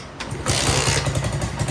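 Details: Moto Vento motorcycle that wouldn't start, after the valve clearance was set with a feeler gauge. A single-cylinder thump catches and settles into a quick, even beat with strong vibration and no knocks; runs properly.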